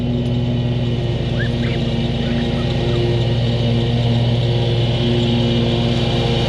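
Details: Kubota zero-turn mower, about seven years old, after a new switch was fitted: loud, even engine drone holding steady speed under cutting load, no misses, knocks or surging; running fine.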